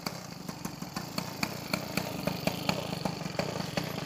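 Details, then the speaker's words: Peugeot 103 SP moped with a newly wired DD ignition, first start: the two-stroke buzzes with quick, fairly even pops and a steady exhaust note, starting well and warming up. "ça démarre bien moins cher c'est plutôt pas mal tout ça"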